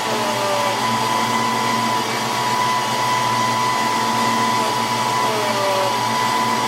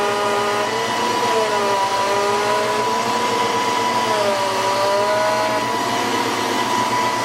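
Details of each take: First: 1993 Ford Mustang GT foxbody with Coyote swap, hydroboost after brake bleeding: smooth steady power steering pump whir with no rising whine; the whine is gone, air is out, and pedal is firm. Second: 1993 Ford Mustang GT with a Coyote swap and hydroboost, after a fluid change and before bleeding the booster. Constant high pump whine that dips and rises as the wheel is turned: air in the hydroboost system.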